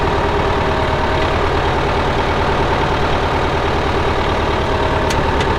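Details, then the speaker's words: 1975 Case David Brown 1212 tractor, 71HP engine, 4,353 hours: a steady, even diesel clatter at low idle with no uneven beats or knocks. The engine sounds good. Normal diesel idle. "Like I said, hydraulics are strong, engine sounds good, steers well."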